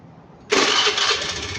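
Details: Fuel-injected scooter after the injector plug, pulled to simulate a no-start, is reconnected and the key switched on: quiet, then a sudden catch into a bright busy running sound; starts promptly and runs normally.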